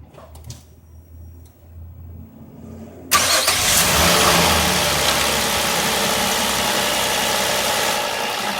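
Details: 2005 Nissan Murano under misfire diagnosis with no code, after an ignition coil swap. The starter cranks briefly, the engine catches at once and settles into a steady, even idle with no stumble; all cylinders firing. Normal idle.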